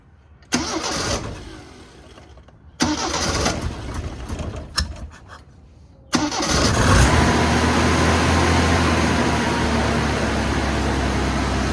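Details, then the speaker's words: 1974 Toyota Celica 18RG engine, after 25+ years in a junkyard, now with new water pump and thermostat and block flushed: two short cranks, catches on the third, settles into a steady even idle; runs well, carburetor called poor. "seems to run really good i'm not quite sure why they ever parked it in the junkyard in the first place"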